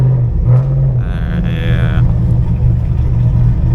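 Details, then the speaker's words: Chevrolet Camaro V8 driven round the neighbourhood in reduced-power mode, no code stored; deep rumble stumbles unevenly and barely pulls with throttle held open, misfire with loss of power, cause not found. "I'm definitely reduced power I have my foot on the accelerator and it's barely giving me anything"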